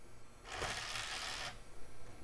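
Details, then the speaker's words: Old Toshiba CD-ROM drive in a '90s desktop reading a CD-R: one-second rough whirring rush as disc spins up and is read, then quiet; noisy but working drive. "Grumpy as it is. Sounds like it's happy about it. Yep, sure is."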